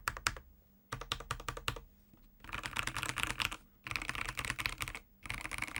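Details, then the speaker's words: Ajazz AK816 75% keyboard with Gateron Pro Yellow switches, typing test: crisp key clacks with an occasional extra tick or rattle from the unclipped stabilizers. The lubed switches sound smooth. "so the stabilizers which are unclipped actually rattle from time to time so you will hear this kind of ticking or rattling some when typing"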